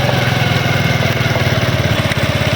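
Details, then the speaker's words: CD 70 / China motorcycle, wheel area: sharp repeating cut-cut tick over steady small-engine idle, caused by a worn chain master link clicking; cheap repair. "ये देख रहे हैं cut cut की आवाज आ रही है।"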